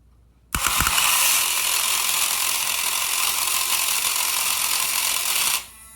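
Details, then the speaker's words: Electron Robot toy gear pack at about 3 volts, shifting from one gear drive to the other to switch from spinning the body to moving the legs: fast, buzzy high-pitched gear whir for about five seconds, then it stops; normal gear drive operation. "And when it moves from one gear drive to the other, it moves from moving the legs back and forth to spinning the body around."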